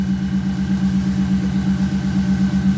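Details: Subaru Baja after reinstalling the fuel pump assembly (old seal failed, causing fuel pressure drop and lean running under boost): smooth even idle, steady low pulse and faint constant whine, no misses or knocks; normal after repair.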